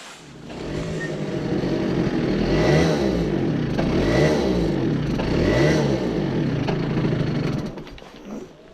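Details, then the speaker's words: Two-stroke research scooter, running on an NGK LP05F suppressor plug cap that also failed (only the LP05E works); revs surge, sputter and break up instead of pulling cleanly; ignition misfire. "Eli tällä kiinalaisella hatulla ei toiminut. Ja sitten NGK hattu, joka on LP05F. Ja tässä on häiriönpoistaja, niin tällä ei toiminut"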